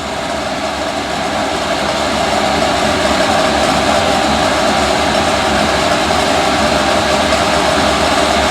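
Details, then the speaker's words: Diesel heater (5KW/8KW) after upgrading from a sealed can motor to a rebuildable blower motor: loud steady blower roar with faint scraping rattle about four times a second; owner suspects the internal blower wheel rubbing the gasket, may wear in. "yeah it's rattling noise the fans definitely quarter well looks like i'll be taking it back apart at some point but it's producing heat so as well as that's the internal blower wheel hitting against the gasket or something"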